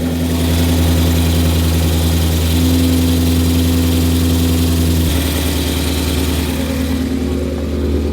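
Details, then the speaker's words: Ford Mustang manual at cold start: loud idle with a rough, uneven rattle and hum from the failing transmission. "the cold startup sounds good but the transmission failing does not sound good you guys can hear that"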